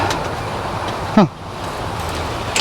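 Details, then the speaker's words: Yellow Cub Cadet lawn tractor, long-sitting, after cold start with fresh gas: steady, even engine drone with no knocks, misses or rattles; runs well despite very gassy oil found earlier. "Motor sounds good. I was nervous because of how gassy that oil was, but it sounds really good."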